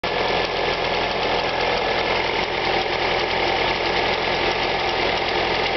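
Cold idle carries a fast, light ticking over the engine hum that keeps pace with idle speed; a ticking top end.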